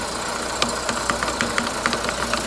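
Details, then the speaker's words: Car in Drive or first gear, engine running, brake lightly applied to load the drive: sharp uneven knocks about four a second over a steady engine hum, a worn inner CV joint; works for automatic or manual gearbox. "в нашем случае внутренняя стучит видите это можно проверить на любой машине коробка автомат механика"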